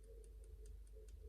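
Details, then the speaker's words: Ingersoll S-profile lever lock being picked with a Lishi-style 2-in-1 pick and decoder: light even ticks about five a second over a faint hum; the lever taps freely, so it sits at the set height. "we hear it tapping we'll move through doing the same thing on everyone until something changes"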